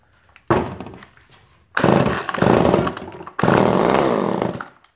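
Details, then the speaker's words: Chainsaw after spark plug refitted, spark confirmed: three short pull-start bursts, each catching briefly with a rough sputter then dying; engine sputters and dies on starting, flooded. "It was a little flooded from before. Put the choke on it. Now she's all flooded."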